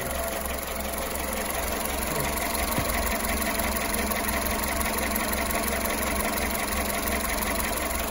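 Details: Skoda Fabia 1.4 2014 after service replaced bent valves from timing belt snapping at 170k km: idle with uneven knock about three beats a second, burning 2-3 litres oil per 10k km; possible worn bearing, not confirmed.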